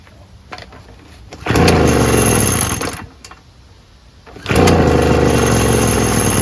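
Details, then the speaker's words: Small two-stroke blower, used once, primed six times before starting: it fires after a couple of pulls and settles into a loud steady buzz; normal running. "there we go kind of started maybe I should trigger this a"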